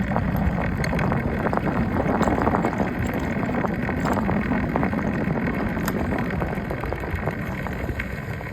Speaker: That voice is coming from front wheel from the day one.